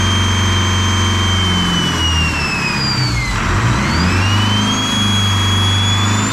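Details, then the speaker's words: Detroit 4-53T diesel with 7A77 injectors refitted after 9G90 failure and loose fuel suction hose clamp replaced; deep even drone dipping and climbing smoothly through a throttle blip, no misses or knocks; normal idle and revving. "well there you go guys uh 787 78 77s are back in it's running like a dream again"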